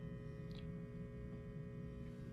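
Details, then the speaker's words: Marshall JCM2000 DSL100 tube amp with the phase inverter tube removed and preamp unloaded: a quiet, steady low hum with a faint buzzy edge at rest. Plate supply measurements point to an open plate resistor in the phase inverter power supply. "so that's not good that would lead me to believe we have an open plate resistor on your phase inverter power supply"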